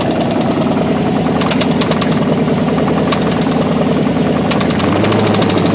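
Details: 305 TPI LB9 V8 with no exhaust, open manifolds, at idle: deep heavy knock repeating steadily with the firing, rod knock.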